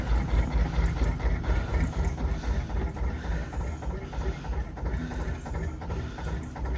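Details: Hand-started JP2 single-cylinder boat diesel, cold start in December after three months unused: slow, steady, even thump at low revs with no knocks or misses, plus the starting-mechanism ratchet disengaging; normal cold tickover.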